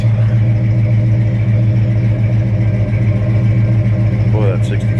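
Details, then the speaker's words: Old truck running on old gas, brakes dragging, with lots of moisture from the exhaust: a steady, even low rumble at idle with no knocks or misses, firing on all cylinders; running smoothly and healthy. "it's all firing on all the heat it sounds like good truck good truck"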